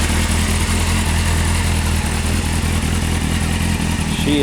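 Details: 1998 Honda CBR F3 motorcycle outdoors after oil change with fresh 4 quarts oil, new filter and crush ring: fast even multi-cylinder idle, smooth steady beat, no ticking or knocking; normal idle.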